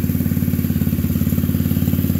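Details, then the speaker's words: TRex 125cc after carburetor replacement, sticking throttle fixed and idle turned down: small revs and a quick, even putt-putt at steady idle, no misses or rattles; running cleanly, normal idle. "well I think the boys gonna be happy with that sounds like a little racecar now"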